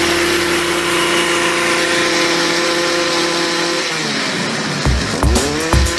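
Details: Stihl two-stroke trimmer after cleaning carbon from the spark arrestor screen: steady high buzz, then clean rev up and down with quick throttle blips; normal revving.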